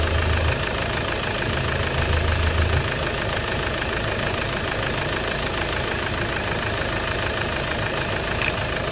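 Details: Hyundai Starex D4CB diesel idling during a check for suspected blow-by: steady, even clatter with no rising knock or uneven beat; no smoke from the dipstick tube or breather, so the engine idles healthy.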